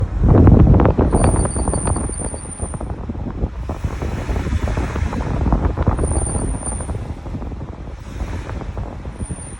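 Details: Truck rolling with heavy road rumble and a high thin squeal coming and going as the brakes are applied; brake squeal when braking, cause not yet known.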